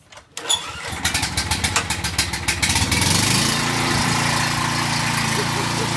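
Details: Generator small engine that wouldn't start after sitting, after new carburetor and fresh fuel, on choke: a few rhythmic pull-over chuffs, then catches and settles into a steady, even run; starting normally.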